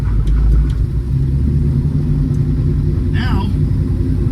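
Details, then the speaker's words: 1965 Plymouth Barracuda, 360 V8 with Magnum heads and EFI, Tremec TKX five-speed, after timing curve correction: deep, even V8 rumble pulls cleanly off idle with no stumble or hesitation; throttle now works, normal off-idle response. "got more power you know off idle anyway but my throttle actually works"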